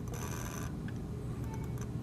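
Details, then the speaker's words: HP laser printer polygon mirror DC motor (M63151FP controller, 24 V) with PWM duty cycle raised from 55 to 65%: thin high whine cuts out, leaving low rumble and stray ticks; mirror motor slowing and stalling. "if I adjust it to 65 it stops you can hear it stopping the motor's slowing down and it's going to stop getting it to start is the hardest"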